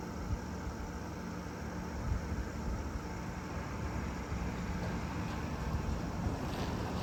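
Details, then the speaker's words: 1993 Panasonic Quasar 8,000 BTU split-style window air conditioner on low cool, with a low, even rumble mostly from the outdoor compressor and fan; no knocks or rattles, running normally. "That's on low cool. And most of that noise is outside. Outside, yeah. That's your outside fan and compressor. Well, mostly the compressor."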